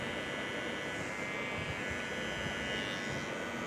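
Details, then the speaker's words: New Zlade Ballistic Lite Plus trimmer at unboxing, first switched on: steady, quiet buzzing hum with even pitch, no rattles or speed dips; motor running normally. "मित्रांनो तुम्ही बघू शकता की चालू झालेलं आहे."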